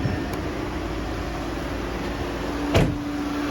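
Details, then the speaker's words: 2014 VW Beetle Turbo GSR after replacing the cracked dual radiator cooling fan assembly, engine running with A/C on max: both fans ramp up with a steady airy rush and low even hum, no rattle or wobble; normal, no vibration. "Now if you can see that, but both fans are running. They are not vibrating."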